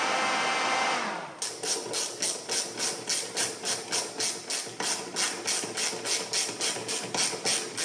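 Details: Hyundai H1 4x4 CRDI intercooler fan, repaired after not working, tested wired directly to battery: short hiss, then steady whir with even whooshing pulse about three times a second. Fan turning freely, normal.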